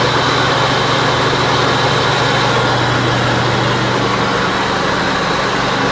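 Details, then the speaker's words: John Deere 190C (100 series) riding mower after PTO clutch replacement and new battery, running with blades engaged; even steady engine drone, low hum and blade whoosh, no slipping or grinding, runs fine under load. "there we go sorry about the dust and the crap but I'm happy with that"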